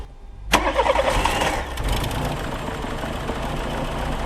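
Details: Older VW Polo 1.4 petrol with a no-start, after troubleshooting: a short crank, then it catches at once and settles into a steady, even idle with no misfire; now starts normally.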